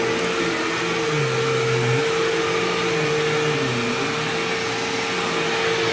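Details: Sharp Twin Energy vacuum cleaning living room: constant thin squeal above the roar, steady as motor load shifts; owner notes it faded after running a while and partly returned after shutoff, cause unknown.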